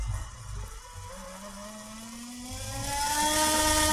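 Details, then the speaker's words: Two small motors driven by a Cytron MD13S motor driver from Arduino, error LEDs flickering unexplained: smooth whir with pitch climbing steadily, no catches or grinding; speed ramps up and down as expected, normal. "so yeah I'm not sure about the error led with it Stella day but at least the motor seems to be controlled fairly well they're going up and down as expected"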